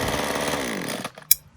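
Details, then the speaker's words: Titan TTL688HDC petrol hedge trimmer, rusty after sitting in a shed, cleaned and fixed: warming up with blades running. Small two-stroke buzzes evenly, then is switched off and spins down with a light click; runs healthy with no misfire. "So the blades are running fine. I'm just going to let it warm up a little bit more."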